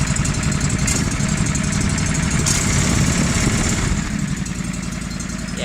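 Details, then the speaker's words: Tractor (425/445/455) at idle, engine with suspected head gasket failure, milky oil and a little knock; light tick on the firing beat, three or four per second, source not pinned down; engine ticking. "you can kind of hear it ticking. So, yeah, I'll probably rebuild my other short block I have, because that one was smoking."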